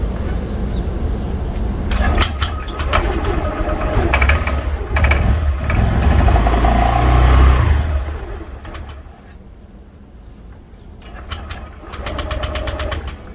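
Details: 2020 Honda PCX125 on a cold start: it catches and revs unevenly, then the idle sags and dies; it holds idle once warmed. Cause is incorrect valve clearance (spec intake 0.1 mm, exhaust 0.24±0.02 mm).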